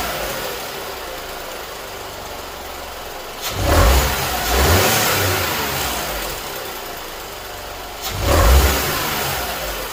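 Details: Skoda Fabia 1.2 12V after replacing leaking catalytic converter/exhaust manifold: smooth steady idle with two clean throttle blips rising and settling quickly, no ticking or exhaust puffing; normal running.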